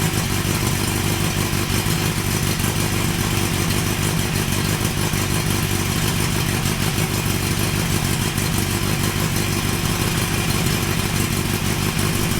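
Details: Honda CB900 Custom four-cylinder at first start after a suspension upgrade and exhaust refit, with a sticky carb float earlier: busy burble settling into a steady idle with light valvetrain clatter and no misses or knocks; normal idle.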